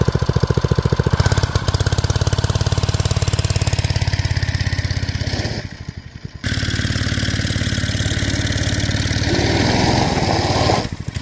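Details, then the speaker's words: Old BRS F1 265E go-kart single-cylinder engine, run with no air filter after priming, starts instantly: fast, even thump holding a steady beat, no misses; normal running shortly before it later went "chunk" and shut down. "see a pretty low fires right off runs really good when you first started"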